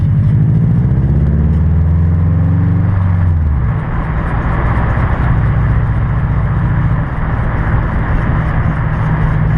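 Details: 2006 Subaru WRX TR, grinding/scraping around the front passenger wheel while rolling, no clunk when turning, no visible wear: constant gritty scraping rumble from a bad wheel bearing; replacing the whole assembly removed the noise.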